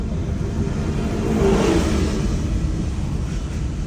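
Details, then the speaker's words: Honda Fit G3 coasting with throttle and brake released: low, irregular thumping of roughly four knocks a second under road rumble; it stops when braking, with steering vibration alongside. "При сбросе газа появляется стук. Вот газ сбрасываю."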